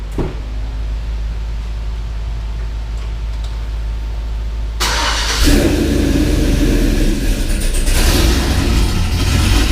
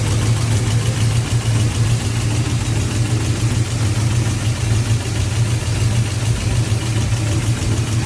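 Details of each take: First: 6.0 V8 swapped Cateye truck with BTR Truck Norris cam, idling after failed lifter (cylinder one driver's side) replaced with Morel drop-in lifters: steady even low rumble, no valvetrain ticking, normal idle. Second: 6.0 V8 swapped Cateye truck at idle just after BTR Truck Norris cam swap: loud sharp knock repeating with engine beat over the rumble, first suspected rod knock, traced to failed lifter.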